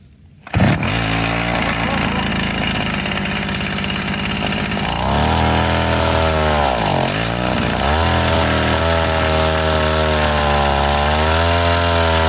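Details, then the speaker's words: Craftsman mini tiller 536.797500 small two-stroke after carb cleaning, fuel line and diaphragm check: starts and runs steadily, pitch dipping and rising as idle is tuned; runs fine. "so yeah oh it runs tuning time and tuned"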